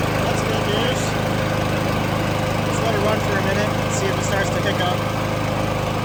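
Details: Honda GCV160 mower right after swapping in an aftermarket carburetor, started with choke on: steady, even single-cylinder beat at about three and a half firings a second, with no surging or stumbling.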